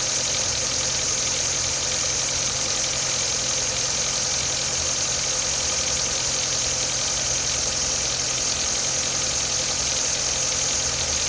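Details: 2017 Nissan Micra SV, under 7500 km, lightly driven, idles steadily with a fast, light metallic tapping over a bright hiss; tapping began before 1200 km, dealer refuses to acknowledge it.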